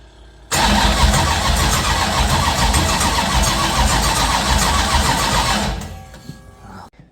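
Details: Rebuilt V8 race engine, first start after fitting with oil pressure confirmed: brief crank, then catches at once and runs hard and steady for several seconds before shutting off; clean, healthy start.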